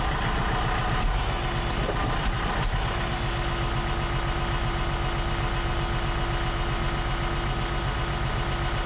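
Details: Bat-wing brush cutter on tractor, test-run after installing the $300 aftermarket part for the broken gearbox, with fresh gear oil and grease: steady, even low drone at constant speed, no knocks or grinding. Sounds healthy; owner thinks it's fixed.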